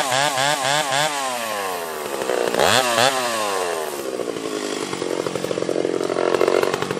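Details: Freshly ported Stihl 031 AV chainsaw, exhaust port roof raised and transfers cleaned up: revs high, dips into the cut and pulls back strongly with a crisp clean note, no stutter; running better than ever, like brand new; normal under load.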